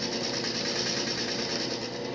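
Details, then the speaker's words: Diamond hole saw in a drill press cutting aquarium glass for a bulkhead fitting; steady high buzzing grind at even pitch, bit engaged without skipping or chatter; normal smooth cutting. "The drill press is engaged in the hole that's being cut, and you can continue to hear"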